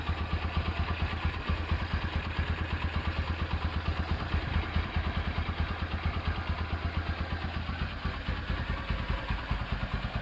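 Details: Rebuilt Honda Tiger Revo single-cylinder engine with reconditioned carburetor and BRT camshaft at idle: even, low putt-putt holding a steady rhythm with no knocks or rattles; the engine sounds healthy.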